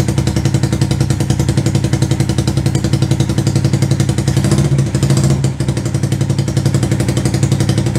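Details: 125cc CCW Sinnis Heist chopper single after carb float-height adjustment: thumping at about three to four beats a second, steady apart from a brief dip; engine running.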